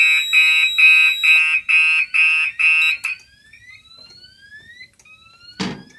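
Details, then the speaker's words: Fire alarm test: manually turning on output 6 of a DMP XR-500 panel trips the SXL-EX, giving loud repeating high-pitched pulses about two a second that then cut off; the panel output is misconfigured. "If it lets me set it on, that's going to trip the sxl-ex, and that means it's not set correctly, so let's go ahead and try. Yeah, that's not right. Alright, so that tripped the SXL."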